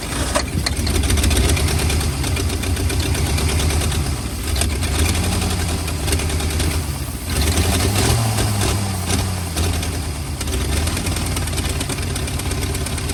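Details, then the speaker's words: 1940 or 1941 Ford flathead V8 truck, sat about 50 years, running cold on ether, heads and block not yet warm: uneven, surging idle with rising and falling revs and a ragged beat, spitting unburnt ether. "okay you can kind of bring the idle down on her now getting somewhere with it's spitting out a bunch of unburnt ether like enough to burn your eyes heads are not warm yet Block's not warm yet"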